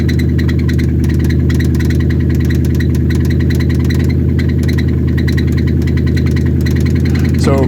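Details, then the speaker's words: 2016 Lexus GS-F with reported undercarriage damage, auction running video: loud idle with a steady, fairly quick knock at engine speed; possible rod knock or something contacting the front crank/drive pulley, not confirmed. "to me, that sounds like it could be a rod knock. Now it could be something else. It could be like something pushing against the front crank pulley or the drive pulley, something like that."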